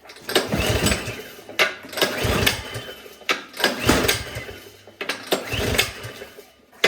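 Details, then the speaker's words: Craftsman snowblower with gas and oil, full choke, primed, cranked on electric start: short starter bursts, about six in seven seconds, never catching; spark present, so fuel not reaching the carburetor. "we got nothing next we're gonna check for spark"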